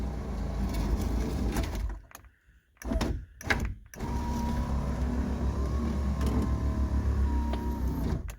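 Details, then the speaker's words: 1988 Lincoln Town Car limousine (Corporate Coachworks) Sky-Top power moonroof, battery charger connected: loud motor whir with a faint whine rising as it speeds up, in bursts; motor runs but glass stays down and won't close. "Is it closing all the way? No, it's not going up. It's staying down right here."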